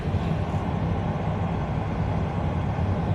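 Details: 1997 Vectra B cabin blower on maximum after removing a leaf stuck in the fan: a steady, even low whoosh with no rubbing or ticking.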